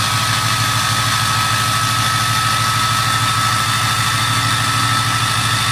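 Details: 2006 6.0 diesel with an 03 turbo at high idle: a clear, steady high whistle above an even diesel idle. Normal turbo whistle.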